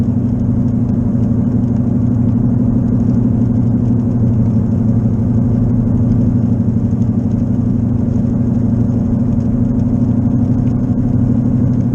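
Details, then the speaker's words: Car with a bad left wheel bearing driving on wet roads around 55 mph: constant low droning hum that grows louder with speed; bearing not yet fixed. "as I start moving faster you can tell the noise gets louder about 55 and it's just getting louder and louder"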